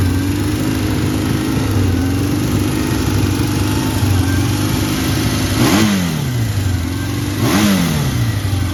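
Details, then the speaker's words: 1979 Kawasaki KZ650 SR motorcycle, listing states 11764 miles, which otherwise starts well and sounds good. At idle, two throttle blips each hang high and sag back slowly instead of dropping promptly: it over-revs a bit and takes a while to die back down, cause not stated. "It over revs a bit. After you've revved it, it takes a while to die back down."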